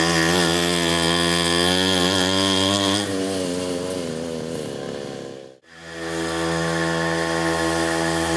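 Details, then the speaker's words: 47cc two-stroke Mini Pocket Rocket pocket bike, first start after reassembly with no gas leaks: a crisp, even buzz that revs and falls back cleanly, briefly dies, then settles to a steady idle, running normally. "okay let's get ready for the first start since I rebuil it well not really rebuil it but put it back together together here no gas leaks and it sound like to come live"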